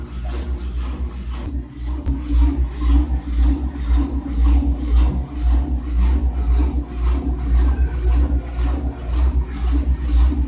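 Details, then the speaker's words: Washing machine in spin cycle: heavy low rumble and steady thumping almost twice a second from a loose basket, possibly a worn spider, with missing screws and wear; shock absorbers not necessarily damaged. "la canasta está suelta puede ser desgastó en araña por acá suelta vamos a revisar en el centrifugado de ruido y ruido así"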